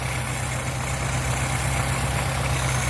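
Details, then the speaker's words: Old panel with carburetor, started after about three months sitting in snow, now warmed up; steady, soft low rumble around four beats a second, no ticks or knocks; quiet, clean warm idle. "See, it's fine now. It's all warmed up, nice and quiet. Runs good."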